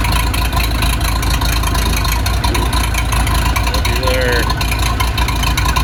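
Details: Case 207D (450) dozer diesel after a year-long engine rebuild, reinstalled and reassembled, fitted with a muffler so much quieter: deep, steady, muffled idle chug with no knocks or misses; running healthy.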